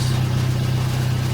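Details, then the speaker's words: Dodge Dart 1.4 Turbo at first start after timing belt and MultiAir filter replacement, upper timing cover off. It shook briefly like a misfire with no check-engine light, then cleared. Now a smooth, even idle with no ticks or misses while warming up: normal idle. "So right now I'm just waiting. I'm just gonna be letting idle for a few minutes."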